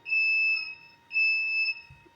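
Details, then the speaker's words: Automatic LPG gas burner control panel, first ignition attempt failed; steady high beeps about half a second on and off from the controller signalling ignition lockout. Cause unconfirmed, owner suspects gas not flowing and checks regulator. "Ini kita nyalakan, kita coba nyalakan. Dan skenario pertama ini gagal ya, dan saya juga waktu itu agak bingung ya."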